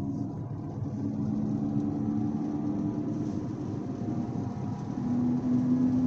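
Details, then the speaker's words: 2014 Audi Q5 driving at 40-50 mph: a droning howl from the rear, very loud like an airplane, rising in pitch and loudness with speed and worst at higher speed. Owner suspects both rear wheel bearings. "I think both rear wheel bearings are shot and that's why they're howling we'll see it's very loud it sounds like an airplane"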